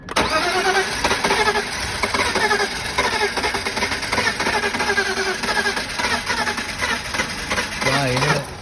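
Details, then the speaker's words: BMW E46 with M52 engine, towed in dead after cutting out at the MOT station. Fuel pressure checked, and fuel is present. Cranking spins over too fast and light with an uneven beat and no firing, suggesting low compression. "So, like I said all along, it did sound when I got to this car this morning, it sounded to me like it was spinning over too fast. Like there's not enough compression."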